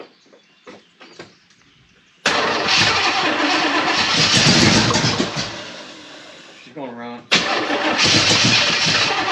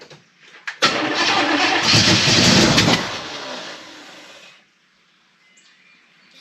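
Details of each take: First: Chevrolet El Camino first start attempt with a sticking choke: it cranks, fires and catches into a loud, rough-edged run, dips briefly, then picks back up; the engine sounds healthy. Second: Chevrolet El Camino of unknown engine, bought cheap: starter churning, then a harsh coughing burst that dies away as it pops back through the carburetor; timing is way out and the distributor is moving.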